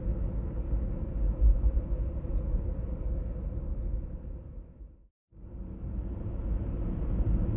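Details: 1996 BMW E39 523i automatic (pre-facelift): steady deep droning hum under road noise while cruising, heard at 50–60 km/h and also 70–80 km/h; source not yet identified.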